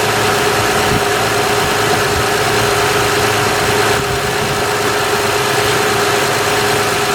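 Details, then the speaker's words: 2006 Honda Odyssey EX-L RES with a newly replaced power steering pump, filled with Honda fluid: a steady mid-pitched whine over an even idle as the new pump moans on trapped air until it primes. "let me just show you what it's going to sound like it's going to complain a little bit I did fill this up but it's going to complain"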